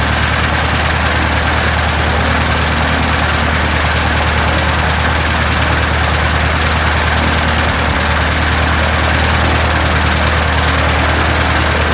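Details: 1967 Citabria restoration, first start: steady, even low thrum of the air-cooled piston engine, regular firing, no knocks or misses; normal idle.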